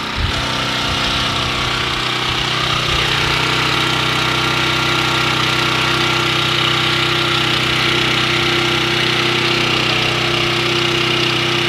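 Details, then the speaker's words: Portable generator running on propane only, gasoline off, at full run; steady even drone at constant speed after brief start-up clatter; normal running under full load. "There we go. Now we're running at full power on propane."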